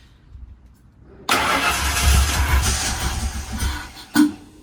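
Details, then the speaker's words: First start of a fuel-injected Ford Explorer 5.0 V8 with 4R70W swapped into a 1968 Mustang; catches first time and settles into a strong rumbling run with a quick blip, starting and running cleanly. "yes that sound good s very good it started up the first time"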